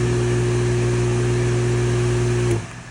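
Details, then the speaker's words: Harbor Freight 1 HP well water pump, formerly noisy and drawing over 5000 W at start, after teardown and oiling its worn rubber bushing: a steady, smooth motor hum with no squeal or grinding, then a clean shutoff; normal pump run. "And that is way better than it was."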